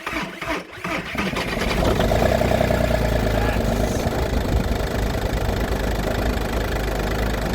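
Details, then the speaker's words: Audi A2 TDI diesel after refurbishing its Bosch starter motor, which had screeched/squeaked when cranking: brief cranking, then the engine catches and settles into an even idle clatter with no squeal; starter disengages cleanly; fixed, normal start. "no squeaking noise we're fixed happy days"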